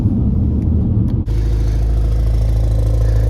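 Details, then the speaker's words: BMW X5M V8 with stock exhaust, at idle in winter; deep idle with buzzy vibrating chatter from the inner exhaust flaps, noisier on one side, owner thinks it eases once warm; exhaust flap rattle. "you guys hear that vibrating sound coming from those inner flaps? It seems to be noisier from that side."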